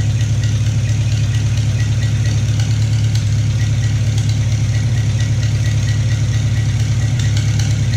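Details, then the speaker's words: Farmall Cub tractor engine test fire after piston ring install, oil primed by hand-turning, choked: deep steady even idle, no knocks or misses, not smoking, though slight antifreeze leak at head gasket; normal idle. "and it sounds good not smoking"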